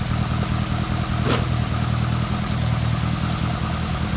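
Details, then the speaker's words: Lotus Elan Sprint big valve barn find, off the road since the early 1990s, idling with choke half on; deep even rumble, steady beat, no knocks or misses; normal idle. "Absolutely covered in dust. swallow poo and swallows eggs, but it's still idling. That's really happy."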